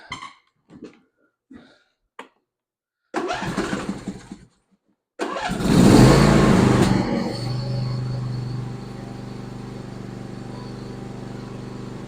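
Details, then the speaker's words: John Deere E140 garden tractor, 22 HP Briggs & Stratton twin, hood refitted after fixing mouse damage that stopped one cylinder sparking: cranks and settles into a smooth, even idle on both cylinders; may smoke briefly while clearing. "that sounds so much better it's gonna smoke a little bit because that one side wasn't sparking but once it cleans up all that out of that cylinder and everything will run just fine"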